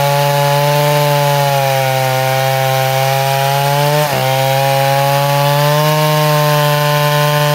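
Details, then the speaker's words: Neotec 8105 (Stihl 070 clone) chainsaw, pre-refurb, cutting hard maple about 22 by 18 inches: strong steady tone dips briefly mid-cut then climbs back and opens right up; running well under load, no adjustments made. "But did you hear it? It's running, wah, and then goes wah, and opens right up."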